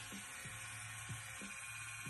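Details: Flite X1 (Inkjecta) rotary tattoo machine, fully charged, running fast: a faint, steady fast buzz over a smooth low hum with no stumbling, healthy.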